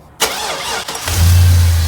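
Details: 2002 Chevy Tahoe 5.3L V8, two-wheel drive, first start after an oil pan replacement for a stripped drain plug: short crank, then catches cleanly into a smooth, even low idle with no knocks or misses. Normal engine start.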